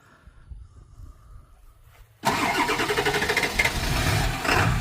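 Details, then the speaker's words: Ford F-250 7.3 Powerstroke diesel that had been low on oil, restarted: cranks, catches and settles into a rough, uneven clatter with irregular heavy knocks, misfiring hard; injectors considered. Cause suspected, not confirmed. "Yep, there you go. Hitting real hard. That's horrible. That's terrible, man."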